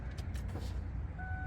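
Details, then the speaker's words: 2000 Ford Taurus after fuel pump replacement, key turned on: low rumble and handling noise, then a steady thin whine as the new fuel pump primes normally. "Let's listen to that fuel pump whine."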